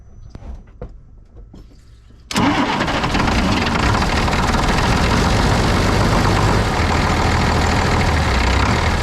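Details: 1995 International 4700 dump truck, DT466 diesel, after fuel system starved and re-primed following tank leak repair, sat about a week; quiet two seconds, then catches at once and settles into steady even idle clatter; normal start.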